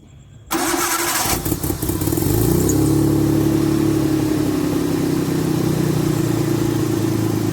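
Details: After Tiida alternator conversion, started on battery: brief crank, catches within two seconds into smooth steady idle, battery light goes off, voltage rises from 12.78 to about 13.4–13.5 V; normal running engine.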